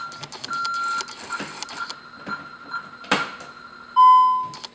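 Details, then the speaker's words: Home alarm system: entry-delay warning chirps, then short key-press beeps as the 4-digit code plus 1 is entered, then one long steady tone as the system disarms normally within the 60-second window. "I'm going to disarm it now by putting in the 4-digit code plus the number 1."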